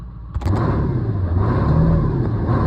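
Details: OBS Ford 7.3 diesel that had a crank-no-start with fuel reaching the bowl, after a faulty plug/part was replaced; fires after a short crank into a steady rumble with a slight rev; normal running, fault fixed.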